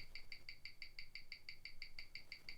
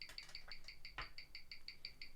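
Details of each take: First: 1997 Omega Speedmaster Professional, caliber 1861, on a Weishi 1000 timegrapher; crisp, even ticks about six per second, steady and regular, in a quiet room. Rate settled from plus nine to plus five; amplitude not a concern. Normal watch tick. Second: Mechanical watch on a Weishi 1000 timegrapher, reading −7 seconds a day; crisp, even ticking at about six beats a second with a steady beat, running slightly slow. That is only two seconds worse than the owner's real Rolex Explorer II at −5 s/day, which he says needs servicing.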